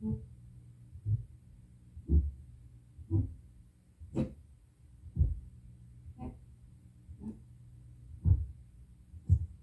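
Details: Prerecorded tape on playback: soft, evenly spaced low thumps about once a second, periodic spoke noise caused by improper bulk erasure.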